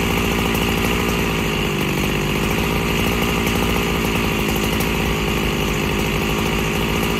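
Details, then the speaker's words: Freshly rebuilt Husqvarna 365SP chainsaw, still awaiting a carb kit, cutting dry oak about 14 inches wide: loud rough note burbles and bogs instead of staying crisp; engine loading up, low-speed mixture too rich. "I don't know whether you could hear that, but she was loading up. So she's too rich on the low end."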